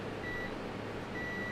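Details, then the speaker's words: Sega CD repair: a multimeter continuity check on the fuse gives two clean high beeps, one short and one held; the fuse is good. "you can hear that sound, that's what I should be hearing. Let's see. So the fuse is good, so that's good."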